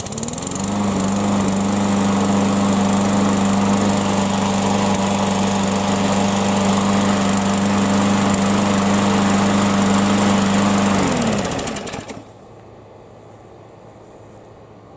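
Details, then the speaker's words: Yard Machines mower, bail arm clamped, started cold to run about five minutes before a no-prime warm start test: steady even drone, no misses or surging, winds down cleanly; normal running. "I'm gonna fire it up cold let it run for five minutes or so and then see if we can do a warm start without priming"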